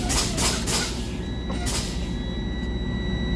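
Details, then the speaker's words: Truck air brake low warning test, brakes fanned at idle: steady high-pitched buzzer comes on over low idle, with dash warning light; primary 69, secondary 68 psi, within 55–75 psi range; good test. "My primary reads 69 and my secondary reads 68, indicating that it's a good test because it's in the range of 55 to 75 psi, and also my dashboard has the low warning device signal on the dash, and also you can hear the sound."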